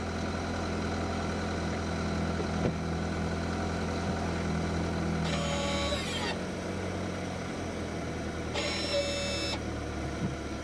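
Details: 2015 Ford Fusion showing a flashing parking brake malfunction message, with ABS codes stored, switch operated at idle: two short motor whirs; only one brake motor seems to run. Cause not yet confirmed.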